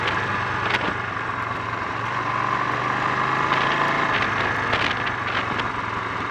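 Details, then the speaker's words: Honda XL 350 on a ride after a blown head gasket repair: uneven pops and stumbles in the single-cylinder exhaust beat, spluttering, misfiring and bogging on acceleration. The cause is unconfirmed; the points and carburettor float bowl are to be checked next. "that was anything but enjoyable on both the misfiring and the handling fronts, but it confirms one thing: it's time to break out the spanners and have a look and see if I can get to the bottom of this."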